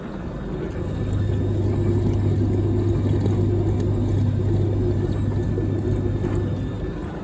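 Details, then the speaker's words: Samsung DV80M50133W Optimal Dry 8kg heat pump tumble dryer, bought for spares, near end of cycle (3 minutes left, drying only mildly warm): low steady hum swells over drum rumble as the condensate pump lifts water, normal operation. "I definitely can. I can hear it pumping water up. That's a good sign."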